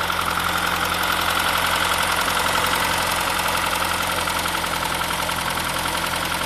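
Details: 2001 Saab 9-3 Viggen, fast even ticking at idle, three to four taps a second, began after running out of fuel and refilling; sometimes grinds at startup then stops; ignition cassette swapped with known-good one, noise remains; cause unknown.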